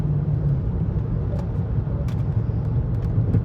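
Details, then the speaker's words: Rebuilt Chrysler 300C cruising on smooth road, air conditioning off: steady low droning growl under road noise like a mud tire hum, sway bar links also rattling, ABS/ESP light on; wheel hub bearing growl. "kind of sounds like a mud tire um yeah so that's not great"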